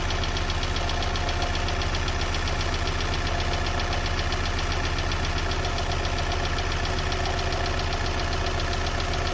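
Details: Opel Z16XEP engine at cold idle: a steady, fast rapping knock about three times a second over the engine sound, clear and continuous; a cold-start knock.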